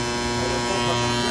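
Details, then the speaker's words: Trane 500-ton centrifugal chiller starter, running side: a contactor keeps making a steady, harsh electrical buzz with a fixed hum from a faulty magnet, and the contactor is being ordered for replacement. "conector estrella pero es que sigue solando tiene problema con con el Magneto así que tenemos que ordenar este contractor para cambiárselo"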